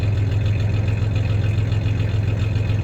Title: 1993 Ford Ranger 3.0 v6 idling with a slight misfire, along with a little rev